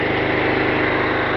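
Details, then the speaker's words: Kohler SDMO 6000 HX 6000 W generator powering a whole house (lights, fridges) with the air conditioner switched to full: steady drone that slows slightly under the load, with no misses or surging; normal, runs well. "On entend le groupe électrogène ralentir légèrement, c'est normal. The air conditioner is on load and the electrogenerator is slowing down a bit. This is normal"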